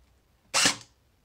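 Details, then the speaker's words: Cyma M14 airsoft gun with its motor over-tightened: a single shot gives a harsh, hissy, grating burst instead of a clean cycle, as the gears grind; this can ruin gears, cut rate of fire and drain the battery. "makes that horrible sound you don't want that cuz that's actually the sign of the gears grinding and it can mess up all your gears make them Unruh usable damages the gun and it can also decrease your rate of fire and kill your battery faster"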